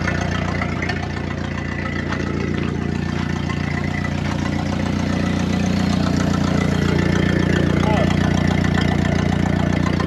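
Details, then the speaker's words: 1931 Ford Model A, sat 30+ years, first run after revival: slow, steady low thumping idle with loose raspy puffing at each firing as exhaust escapes through the muffler, split wide open at the seam; carburetor weeping, needs a kit. "I love it. That muffler is awesome. It's like wide open at the seam."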